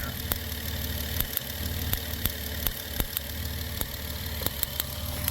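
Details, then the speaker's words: 2008 Dodge Grand Caravan idling with code P0301, cylinder 1 misfire: sharp, uneven snapping ticks over a low rough idle as spark arcs outside the coil boot; needs a new coil and spark plugs. "Anyway, so I can actually hear it. Sorry about the chime. I can actually hear the misfire."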